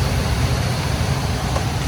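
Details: Gas furnace running normally with burners lit: steady, even low rumble with no surging, popping or rattling, after a no-ignite 3-blink pressure switch fault traced to spray foam blocking the exhaust vent was cleared.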